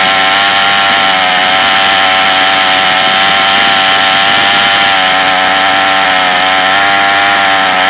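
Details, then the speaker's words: Troy-Bilt TB32EC two-stroke trimmer at sea level screams at full throttle. Its high-speed mixture screw is turned fully in, then backed out for maximum sounding power, causing slight pitch shifts. The trimmer bogs with the choke open. "Depress the throttle here all the way. And with it, press all the way. Unscrew this until you hit maximum sounding power."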